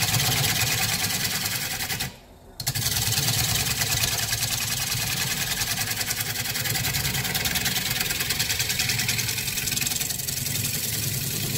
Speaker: you can listen for that sound dot chattering so once we get close to this end you'll hear it smooth